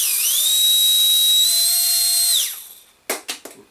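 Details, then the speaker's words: Micro ducted fan (EDF) after balancing with tape, fingernail held on it to amplify vibration: high steady whine with even pitch, no wobble, winding down smoothly; vibration no longer audible, smooth balanced spin. "I'm also using my fingernail here to do exactly what I did with this which is to amplify the vibration and unbelievably second hit um I'm there I can't hear the vibration"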